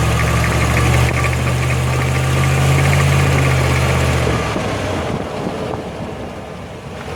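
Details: 2005 Jeep Grand Cherokee WK 5.7, 136k miles, accelerating uphill: a low steady drone holds under load about four seconds, then fades as the throttle eases. Rear differential is suspected, not confirmed. In stereo, right channel is toward the axle and left toward the driveshaft.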